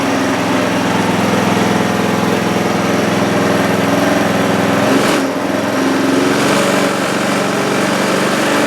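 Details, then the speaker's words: Trailmaster go-kart, Chinese Honda-clone single-cylinder, after carb cleaning and stretching an overly tight governor spring that held idle too high; steady, even low idle with no hunting or surging. "Well, that sounds a lot better at idle, doesn't it?"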